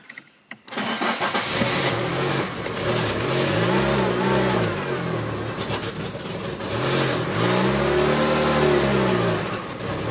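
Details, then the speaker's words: Citroën engine with a mismatched ECU and camshafts, on a cold November morning: engine starts and revs in slow, laboured surges that never climb cleanly; the harder it's accelerated the less it revs, no power. "plus t'accélères et moins elle prend de régime c'est génial"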